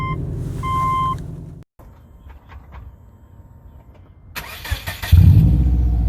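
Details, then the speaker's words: Exhaust leak on a 2007 Subaru Legacy GT spec.B turbo with Nameless catback and muffler delete, before the mid pipe is fitted: harsh, raspy blat under throttle, "like a very angry pig"; installing the pipe is expected to quieten it. "See, you hear that exhaust leaking? Yeah. Sound like a very angry pig."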